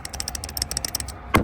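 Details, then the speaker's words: Idler pulley spun by hand before replacement: quick, loose ticking rattle about ten times a second as it spins down, then a clunk; a worn idler pulley bearing with back-and-forth play. "It's like rattling. If you can hear it rattling, that's not good. Both of these are rattling. This one had the most play in it, like back and forth."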